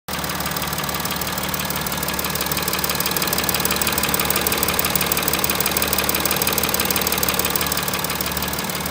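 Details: VW Touareg 3.0 TDI diesel at idle: sharp steady tap about twice a second over the diesel clatter, louder on one side of the engine; camshaft knock, 2 or 4 camshafts need replacement.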